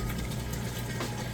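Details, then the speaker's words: Amana HE top-load washer on a normal cycle at the large setting, draining after the wash cycle. A steady low pump hum under rushing water with no rattle or grinding; the drain runs nice and fast, so the drain pump works normally. "it's draining that water out and that drain running nice and fast"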